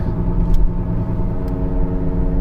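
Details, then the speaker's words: 2015 Kia Sorento 2.4 on a test drive has a steady low droning hum with a faint tonal growl under road rumble. Front left wheel bearing noise that changes when the wheel is jerked side to side. "i do hear a wheel bearing noise sounds like front left yeah that's a wheel bearing noise you hear it when we jerk the"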